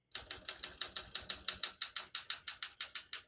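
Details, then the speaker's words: 1969 Olympia SM9 portable typewriter, West German, single line spacing: crisp, even key strikes about three per second, each landing cleanly; all keys type nicely with none skipping or sticking, a healthy typewriter. "you can see, all the keys type nice and none of them skip or stick."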